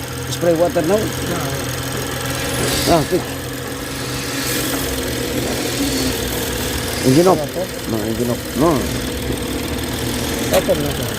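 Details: BMW 640i after fixing rough idle and shudder from an intake air leak following a cover gasket job, airflow and intake air temperature codes cleared: steady even idle hum, no shudder or hunting; engine running smoothly.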